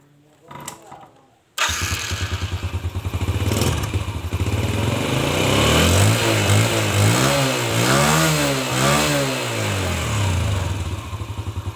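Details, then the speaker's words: Yamaha Jupiter Z single-cylinder restarted after carburetor service and cleaning with petrol: starts first try, then an even, steady putter with some throttle blips. Running cleanly at normal idle, before air-screw adjustment. "kita coba sekarang kita coba kita hidupkan ya kita hidupkan mesinya lagi"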